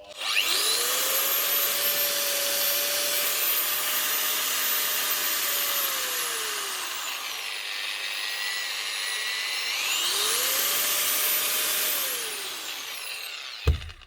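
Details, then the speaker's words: Bosch GWS 9-115S 115mm 110 V angle grinder after fitting a new armature, bearings and brushes to replace a burnt-out armature: spins up twice to a clean, steady high whine and winds down smoothly, no bearing rattle or grind; normal running. "Like a new grinder, obviously."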